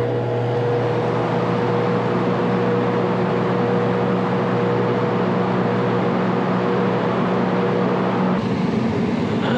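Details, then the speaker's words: Mobile MRI trailer HVAC unit, 480 V, R-407C, compressor rated 10 full-load amps: contactor pulls in, loud steady hum that never spins up, drawing 139 A, then drops out; compressor stuck; locked rotor compressor. "it pulled in you can see the 139 amps that's a problem compressor's stuck so yeah that compressors stuck"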